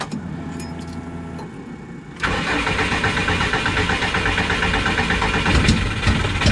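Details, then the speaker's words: Subaru with a no-start issue, starter boosted by a 100 amp charger for extra cranking voltage: starter churns at an even, fast beat without catching, and it backfired; owner suspects timing; crank, no start. "So it just backfired out of my thing, so it might be something to do with timing."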